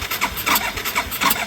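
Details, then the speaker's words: 1981 Yamaha SR185 single-cylinder, original TCI, no choke: cranking with uneven sputters and a sharp pop, never catching; backfire from weak spark due to faulty original TCI ignition box, before Ignitech replacement. "And that seems to be pretty ideal of what has been going on when it doesn't start. Gets a little backfire."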